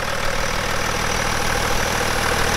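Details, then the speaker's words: BMW E61 530d M57N 235 hp diesel after timing chain repair; even diesel clatter at steady idle, no chain rattle, louder raw exhaust from missing particulate filter; running smoothly. "oh yeah it sounds pretty smooth I believe there will be no issues from now on"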